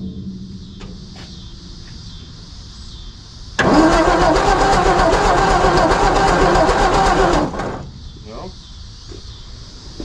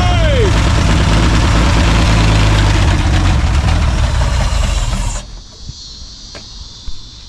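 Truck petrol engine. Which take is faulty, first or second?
first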